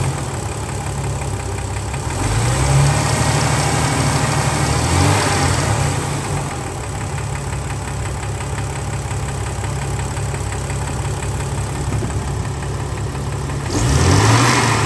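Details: 2000 Jeep Cherokee 4.0 inline-six, warm after about 20 minutes running, idling with a steady hollow knock three to four a second that swells with brief revs; suspected piston slap that normally fades when warm but persisted.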